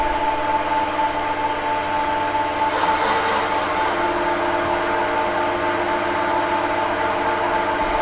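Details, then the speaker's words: Fiat 500 F 499cc engine head rebuild, valve seat being cut with a radius-end cutter: steady, even hum with a smooth scraping note and no chatter, meaning a very even cut, the tool centralising itself in exactly the same place. "you can hear, very even cut, so it centralised itself in exactly the same place."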